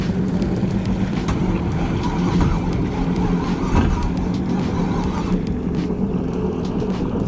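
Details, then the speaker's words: Turbocharged V8 jet ski on the water after it shut down with steam or smoke: uneven, lumpy running with irregular beats under water splash; sounds like it may be firing on only one bank, cause unconfirmed. "I don't know what the smoke and steam is all about, but it sounds like it might be only firing on one bank or something."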